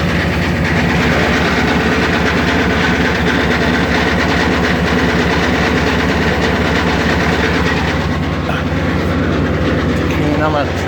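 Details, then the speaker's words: 1989 GMC Suburban V8 idling with a constant clattering rattle from loose, undone crankshaft-to-flexplate bolts, driven that way for months; transmission must be dropped to retighten; fuel pressure reading 0. "So you can hear the rattling noise as it's running."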